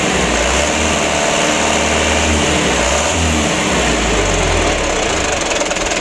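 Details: 2008 Mitsubishi Canter 125 diesel after the adjustment made to cure idle shake, long cranking and low power. Even, settled diesel clatter with a slight throttle change and no shake or misfire; normal idle after repair.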